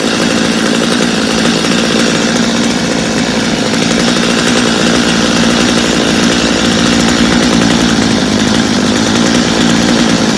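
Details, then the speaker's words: Stihl chainsaw, reassembled for a customer with a Bosch spark plug fitted, after starting on full choke: steady high-pitched two-stroke buzz at even revs, no stumbling or surging; runs well, idle slightly high, little carb adjustment needed. "I think we got a good running saw there I think the owner will be happy with it I didn't even have to do much adjusting on it so that's a good thing"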